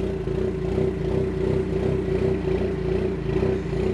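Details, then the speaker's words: 2020 Ford Mustang EcoBoost with built short block and Ford Performance cams, ghost-cam tune: idle chops in an uneven loping beat around 800–900 rpm from spark timing oscillation, returning to smooth idle when rpm drops below that; target idle being adjusted. "I think I need to set the target idle in that range of 800 or so between 8 and 900 it seems to be where it's idling when it does that but when it falls beneath that then it goes back to the smooth idle"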